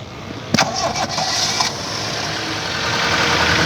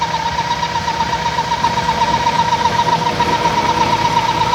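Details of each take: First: Toyota Indus Corolla (1998) engine with noise complaint, after closing PCV valve: catches after short crank, smooth even idle with no tapping or rattle; noise gone, PCV valve still to be replaced. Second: Toyota Indus Corolla 1998 engine at idle, belts refitted and noise persists: thin constant mid-pitched whistle over steady idle; pressure felt at opened oil cap, traced to vacuum leak through broken PCV valve.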